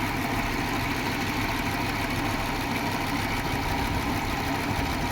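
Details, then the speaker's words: Audi 100 petrol engine idling after head gasket replacement (burnt gasket at cylinder 4 had caused tapping) and ignition current fixed; steady even idle, no knocking or misfire: normal idle. "Мінекей, көлігіміз оталып тұр. Осылай прокладкаларыңызды ауыстырып алсаңыздар болады екен."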